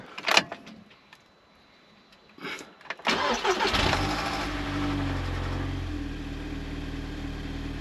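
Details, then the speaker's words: Audi TTS Mk2 8J, first start after replacing the camshaft sensor and fitting a new freewheel and fresh oil with genuine parts; the starter cranks briefly, then the engine catches into an even, steady idle with no knocks or misses. Normal start and idle. "But it's running, which is good."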